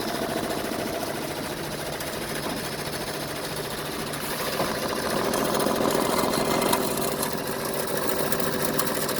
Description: Machine has grinding sounds while operating